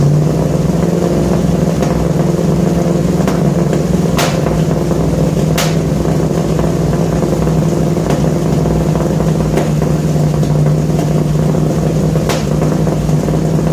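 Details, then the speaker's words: 1966 Ford F100 shop truck V8, first start: steady deep rumble at fast idle, even, no ticking, rattles or leaks; exhaust sounds good and tight, normal exhaust note. "well i think that was a success exhaust sounds good real good"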